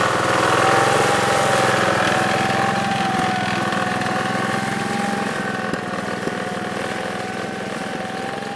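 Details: 1969 Gravely 432 tractor engine, next morning at about 15 degrees, first drive after carb float level fix; even steady note under way, fading slightly as it moves off, no misses or surging. Normal running.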